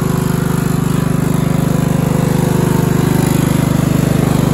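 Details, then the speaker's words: Craftsman LT1000 42-inch lawn mower, 14.5 engine, after new spark plug, cleaned air filter, new fuel line, new blades and new battery: steady even beat with firm low note, no misses; runs smoothly, previously ran very poorly. "It starts and runs amazingly now."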